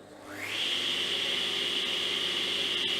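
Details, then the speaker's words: Kity 1619 table saw, secondhand, roughly 10–13 years old: motor spins up quickly to steady even hum, no rattles or scraping, not too loud, stops quickly; normal running. "no weird noises sounds pretty good pretty smooth it's not too loud which is nice and comes to a pretty quick stop"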